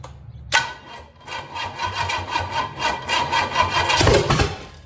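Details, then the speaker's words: 461 Pontiac stroker on a run stand, no fuel line connected, residual fuel in carburetor: labored, uneven cranking with a brief stumble as it tries to fire; run-stand battery nearly dead, slow cranking; wiring, distributor, coil and MSD confirmed working. "second thing we know is well apparently the battery on the Run stand is pretty much dead so might want to charge on that just a little bit before we actually go to try to make noise for this thing"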